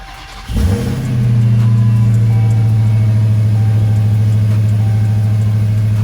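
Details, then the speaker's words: 2018 Dodge Charger Hellcat V8, first start after a JLT short ram intake install: it catches quickly, flares, then settles into a deep, steady, even idle with no misses; no check engine light; normal. "First startup since the JLT intake being installed."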